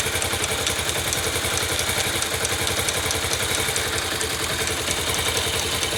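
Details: 2009 Yamaha YBR/Factor 125 before the fix: small single idling with a quick, light "tec tec" tapping over the exhaust beat, about three to four taps a second. Valvetrain-type tick, cause unconfirmed.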